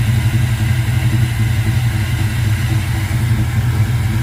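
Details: 1979 Ford Ranchero V8 after a carburetor rebuild and new jets: an uneven, lumpy idle with an irregular low pulse that hunts and stumbles, like it wants to die. Rough running, cause not confirmed.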